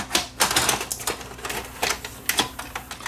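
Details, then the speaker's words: Toshiba (Funai) DVD/VCR combo with blue screen: irregular clicks and clatter as motors keep running and the tape mechanism cycles after loading and ejecting the tape; mode switch fault suspected, not confirmed. "let's take the top off this one and see what's going on with this one I hear motors running just a blue screen hmm"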